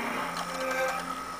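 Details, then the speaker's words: Xbox 360 disc drive: whirring spin with a harsh uneven grinding scrape, the laser not moving back and forth; disc drive grinding with unplayable disc error, still unfixed. "now you turn on your 360 and see if it works this time still the laser is not moov back and forth you still hear the grinding noise"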